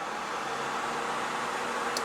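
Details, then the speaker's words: 12 V electric cooling fan wired through a 4-pin relay for a thermal switch, bench demonstration with speaker wire: energized, it gives a steady even whoosh with light motor hum, no ticking or rubbing, then cuts off cleanly; fan runs normally. "So once again, going to energize it. And it turns on."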